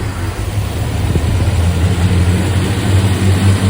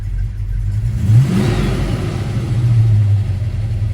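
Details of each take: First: Supercharged 1961 Studebaker Hawk running with supercharger belts removed for engine break-in: steady, low, even idle with no knocks, ticks or misfires, good oil pressure; timing seemed happiest around 55°, mark possibly wrong. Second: Supercharged 1961 Studebaker Hawk, timing backed far off (mark verified): rough idle on the ragged edge of barely running swells up when the vacuum advance kicks in, then slowly sags back; idle raised it sits in vacuum at about 1400 rpm.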